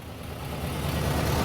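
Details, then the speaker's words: 1973 Buick Centurion convertible, Oldsmobile 350 V8, crashed, started after pumping the carburetor, cooling system compromised: deep, even steady idle rumble with no knocks, misses or ticking; normal idle. "the old carburetor life just needed the one two there she is they're running well"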